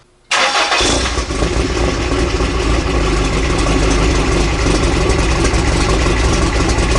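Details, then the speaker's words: Toyota 22RE dually truck after a Redline Beast Cam install, with valve lash and timing reset and a new alternator (no more squeal): quick start into a steady, even idle with no ticking. The owner is still unsure about the head gasket. "feels good sounds pretty good i'll fire it back up so you guys can hear it"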